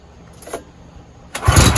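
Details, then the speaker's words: Husqvarna walk-behind mower test run after replacing the muffler and head pipe: pull-start, then a steady low putter with no rasp or leak hiss; exhaust now sealed and quiet. "now we can set this thing down we can fire it up for a test run and we'll see how much quieter it got"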